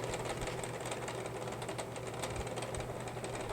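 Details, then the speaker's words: 2002 Aries 10-inch box fan, model 14B8878/YFC-1001: the small motor hums steadily with a thin high squeal and irregular chattering ticks from dry bearings; the fan is also badly out of balance. "yeah see this is just dry bearing noise there is air flow not much but it's there"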